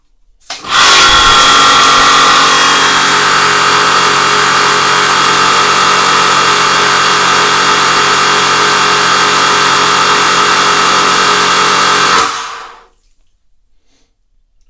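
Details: Karcher HD 6/15 pressure washer after its melted switch was replaced and it was reassembled: steady, even motor-and-pump drone for about eleven seconds, no surging or knocking, then a clean shutdown. Good pressure, no leaks, and total-stop works.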